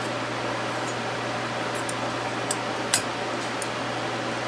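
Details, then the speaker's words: Small unbranded 12 W desk fan (model HVRA4D) after straightening the offending bent blade: smooth, even low hum, no wobble or rubbing, couple of light ticks, nearly silent; normal running after repair. "okay that's a lot better that is a lot better and it's quiet too it's nearly silent"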